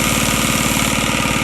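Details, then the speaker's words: Antique sewing machine motor, freed up after soaking with WD-40, drive belt cracked: quick, even mechanical pulsing with no grinding or catching; the motor still runs well. "I can't believe the motor still runs just good"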